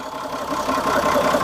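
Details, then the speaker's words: Homemade RV on 1966 GMC bus chassis, Perkins diesel, first start after about 10 years sitting, injectors just bled, oil pressure over 40: steady even diesel clatter at idle, no misses or knocks, running normally. "oh man it sounds good too"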